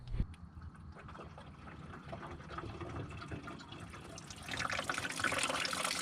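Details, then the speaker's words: Turbo Ford Ranger engine being filled with water to check for a leak: light trickle swelling into a heavy splashing waterfall at the back of the engine; coolant leak from the rear cylinder head freeze plug, which was felt rather than the block plug. "uh it is a waterfall towards the back of the engine so it's either the one in the cylinder head or the one on the block"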